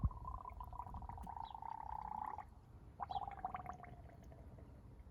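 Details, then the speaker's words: 1993 Chevy G20 van 5.7, cold, radiator cap off after coolant refill, temperature sensor work: irregular bubbling gurgles as trapped air burps out of the open radiator; normal air bleeding from the cooling system. "get the cap off to bleed the system as much as we can we want all your pockets in it good sign means all the air is coming out"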